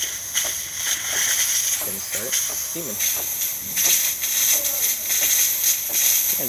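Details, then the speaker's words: DeLonghi Magnifica espresso machine after a full service, testing the steam wand once the pump has run and the machine has heated up: steady, even steam hiss with no sputtering or surging; normal steam wand operation. "And now we're going to turn it off and test steaming. You're going to hear the little pump go off, and then after heating up,"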